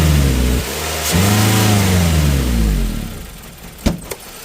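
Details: 2001 Toyota Corolla with the 1NZ engine and a loss-of-power complaint: under throttle the revs climb, then sag and stumble, falling flat. Another shop had blamed the TPS; the cause is a dirty MAF sensor.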